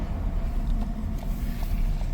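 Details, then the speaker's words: 2014 Ford Escape pulling away through the first three gears at normal temperature: faint steady mid-pitched whine over road and engine rumble, not from the timing belt end; owner suspects the transmission. "weird that is a weird sound it's not coming from the front section where the uh timing belt or anything is"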